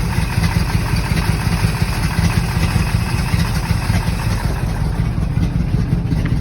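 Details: 1964 Corvette engine after long storage, on jump box and start button: loud, low, uneven stumbling idle; runs rough, fuel leaking from carburetor, likely accelerator pump, stale gas; owner suspects carb rebuild needed.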